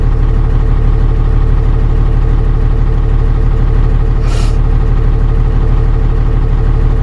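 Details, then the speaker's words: Dodge Ram 12-valve Cummins diesel with a 7s 2.5V/2600F ultracapacitor pack in parallel, about 14.2 V steady: a smooth, even idle with no stumbles. The earlier roughness seemingly stopped once the capacitor and battery were fully charged. "and seems to be idling really nicely so I think once the capacitor and the battery got fully charged then the the roughness cut out"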